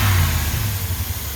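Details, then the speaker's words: Chevrolet Suburban after the racket was traced to the AC compressor on its own belt, not the engine: revs rise then settle to a steady, even idle with no knocking or rattling; running clean, no more noise. "she's running good no more noise I'll talk about this in a second here the racket one away"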